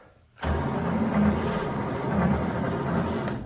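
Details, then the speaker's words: 1940 Cadillac 62 series, 346 flathead V8, 6-volt positive-ground system, sat overnight at -4: slow, heavy, steady starter churn for about three seconds without catching; lazy 6-volt cranking, owner plans to clean up grounds. "It does crank. The reason I found that out is because I was trying to look up 6-volt starters."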